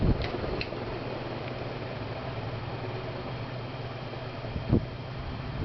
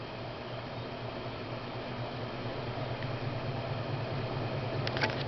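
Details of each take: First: 1990 SMC Laguna 36" ceiling fan after first cleaning and oiling in 25 years: steady low hum with smooth, even whoosh on medium and a few faint clicks; runs well, though it shakes and needs balancing. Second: 1990 SMC Laguna 36" ceiling fan after cleaning and oiling, two blades badly warped: a steady low motor hum with a faint pulsing wobble about twice a second; the fan shakes and needs balancing.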